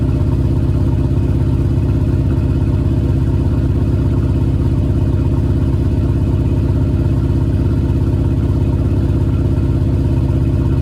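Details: Cold start with JBA shorty headers and stock exhaust after an exhaust leak was fixed: steady, even low burble at fast cold idle, no ticking or puffing. Exhaust sounds sealed and healthy.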